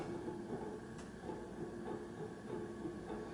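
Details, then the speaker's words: HRS industrial ceiling fan on test rig after bearings treated with WD40 and oil, now spinning freely: quiet hum with light loose clatter about every half second; bearings loose in motor housing, not sitting tight on shaft. "Yeah, bearings are loose inside. So that's why it's noisy."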